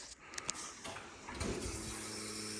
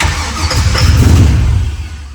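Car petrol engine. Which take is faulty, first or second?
second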